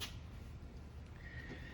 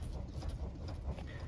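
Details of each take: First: 1973 Ford LTD with 460 V8: thin, high squeak over a low rumble when turning the wheel, only after longer drives (not within 10 miles); front end fully greased; cause is the dried-out rubber boot around the steering shaft near the rag joint; fix is white lithium grease. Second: 1973 Ford LTD with a 460 engine after spraying white lithium grease on the steering shaft rubber boot near the rag joint: the wheel turns smoothly with only a low engine rumble and no squeak.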